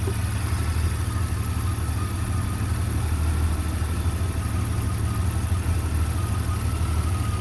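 Deep, uneven idle with loping, irregular firing pulses and no steady rhythm; the engine is idling rough, cause not evident.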